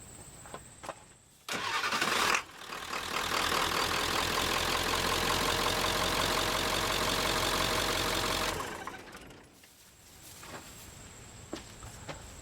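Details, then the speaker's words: Ford F250 7.3L T444E diesel with new upgraded starter, old one only clicked and needed several tries: brisk, fast starter spin under a second, then the diesel catches and settles into a steady even clatter. Normal cranking and start. "okay wow that thing really spins that motor over i guess the old one had been been getting bad for a while"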